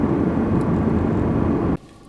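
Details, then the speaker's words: Pontiac Vibe, newly installed replacement blower motor behind passenger-side dash: steady fan rush, old rattle gone but a low buzzing hum remains and cuts out when switched off; the new blower motor itself buzzes, to be returned. "it sounds like the rattle has gone away but there's just a little bit of buzz that i can hear"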